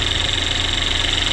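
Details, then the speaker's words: Chevy Equinox/GMC Terrain after replacing the high-pressure fuel pump for code P0191: steady idle with the usual fast, even fuel-system ticking and no stumbles; runs very smooth with no leaks, check engine light still to be cleared. "Vehicle's running very smooth right now."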